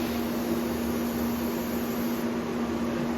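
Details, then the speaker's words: Vulcan ProTig 205 TIG welder, replacing a Lincoln Square Wave 175, with the gas turned on and flowing and the pedal just tested before tacking; steady airy whir over a constant low hum, no rattles or wavering. Normal cooling fan running. "It's not a best way to check it, but fan's on, as you can hear it."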